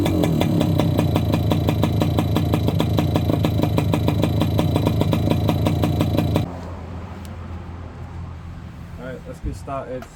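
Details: Yamaha YB100 two-stroke on its old standard exhaust, rusted through with no baffle, before replacement: a harsh, raspy bark on quick blips for six seconds, far too loud and open.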